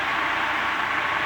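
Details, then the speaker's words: Antique Emerson 16-inch desk fan, type 73648, after fitting correct head wires and sorting speed control, running on medium: steady even whooshing rush at constant pitch, no rattle, scrape or knock; runs normally. "high now it's not high you'll hear it slow down when i drop it down medium and it still picks up speed"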